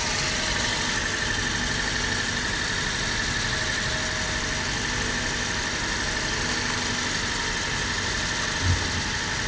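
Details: Car that would not crank due to flat battery and loose negative terminal, now running: steady, even petrol idle with faint high hiss, no misses or knocks; normal idle.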